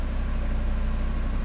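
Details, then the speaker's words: Audi RS3 idling right after a home Unitronic ECU and DSG TCU tune flash: steady, even low rumble with no misses, ticks or knocks, no check engine lights; normal idle. "Nothing unusual, no check engine lights, everything looks good."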